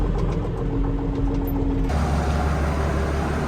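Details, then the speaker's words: Roughly 30-year-old Case 1455 tractor diesel after cold start, idling: deep steady rumble with even beat, no rattles or misfires; engine runs smoothly. "That's a bit better now. Can you hear how smooth that engine is? For what, I don't know, 30 odd years old?"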